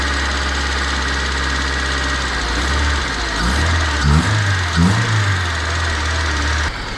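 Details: Budget Honda Civic EK engine with an intermittent noise, owner considering pulling the engine: idle with an uneven low knock roughly once or twice a second; engine knocking at idle, cause unknown.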